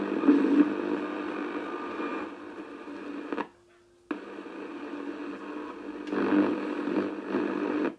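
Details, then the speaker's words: Philips Model 148 tube radio after a full tube replacement, on a mini whip antenna in the afternoon: steady band hiss with a brief dropout. Normal reception. "with the mini whip I might this time of the afternoon I won't get much but I should get something"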